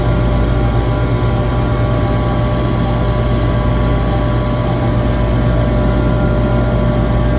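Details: Well-balanced screw compressor runs with a smooth, even, constant hum, no knocks, rattles or surges. A vibration analyzer barely registers it, with the same readings at three spots. A low discharge superheat alarm was traced to badly miscalibrated sensors.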